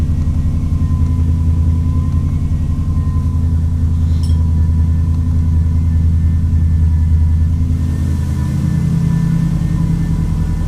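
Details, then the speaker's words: 1994 Subaru Legacy Turbo after 5-speed manual conversion, first start after long storage, no muffler, warming up: loud open-exhaust rumble with steady even beat, no misses or knocks; running healthy. "sounds good no muffler [Music] see any leaks it's a good sign alive okay so it's kind of warming up now we are just kind of letting it run"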